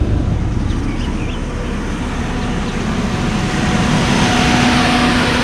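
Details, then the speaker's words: 2001 Jeep Grand Cherokee Laredo 4.0 six-cylinder at operating temperature after radiator and serpentine belt replacement, fan heard from the front. Steady low idle with the cooling fan's whooshing hum, no ticks, squeals or misses: all okay. "The fan is running. I could hear the fan going. From the front you could hear the fan going. So it seems that all is okay."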